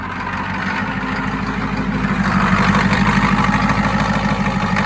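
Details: 1992 Ford F-250 7.3 diesel, 4WD 5-speed, supposedly rebuilt engine, on its first start after sitting since 2004. The engine settles into a steady, even idle with a regular low clatter and no misses, sounding healthy.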